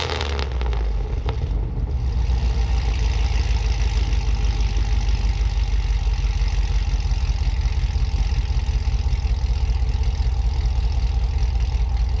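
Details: Trailblazer SS V8 with new headers installed; cranks, catches within a second, then settles into a deep even burble with no ticking or misfires; normal cold start and idle.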